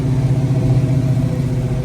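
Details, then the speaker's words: Chevrolet squarebody truck big-block V8 after repair, valve cover gaskets not yet fitted: deep, even rumble with steady firing and no ticks or misses, normal running. "That's how big blocks should run right there. God dang, I can't, I mean, it's amazing."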